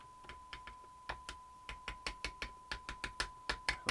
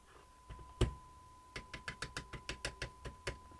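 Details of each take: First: Old Roberts R707 radio: sharp irregular crackles and pops over a steady tone each time the set is tapped; intermittent bad connection, suspected in the IF module (tin whiskers on AF11 transistors), not confirmed. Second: Roberts R707 radio with intermittent bad-connection fault, after resoldering a broken winding wire: steady clean tone holds through a dozen sharp taps on the case with no crackle or dropout; connection now sound.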